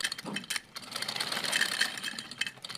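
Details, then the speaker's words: Sewing machine after tightening loose nuts and oiling the three holes and the front nut: quick, light, even ticking from the needle mechanism with no heavy clatter or rattle. Formerly very noisy and vibrating, now much quieter; normal running. "देखें कितनी इसकी आवाज़ कम हो गई है, कितनी इसकी आवाज़ कम हो गया, बहुत ज़्यादा इसकी आवाज़ थी। अभी मैंने इसको कंप्लीट ऑयलिंग किया तो माशाल्लाह से ये इतना इसका जो नॉइज़ है ना वो कम हो गया।"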